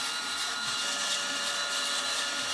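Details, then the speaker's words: Skywalker V1 unit under inspection, drum and bulb working, cooling fan at low setting: rough, strained rushing airflow with thin whistling tones; very unhappy noisy fan, cause not yet found. "That's a very unhappy fan. Let's find out what's wrong with that fan."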